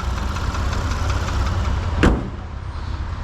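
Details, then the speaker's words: 2015 Porsche Macan S, 3.0 V6, no check engine light: deep, rough idle with a faint extra tapping, driver-side bank making a nasty noise beyond these engines' usual noisiness; source not pinned down. "These engines do regularly run relatively noisy, but this particular engine has an extra little tapping noise to it."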